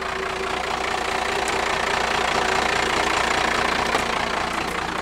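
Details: 1978 Ford F250 Camper Special body-swapped onto a 1997 Dodge 3500 12-valve diesel chassis, started after sitting years in a field: even diesel clatter at a steady idle, regular rhythm, no misses or knocks. Normal idle.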